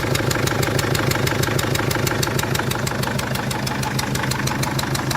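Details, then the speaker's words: 2001 Mercedes Sprinter W903 diesel, long-stored, cold start after many cranks: a sharp, even chuff about three times a second over the idle clatter, slightly smoky. Leaking injector seals; owner also suspects it is low. "Well, you can hear those injectors and chuffing apart. You can see the injectors chuffing. That's how bad they are."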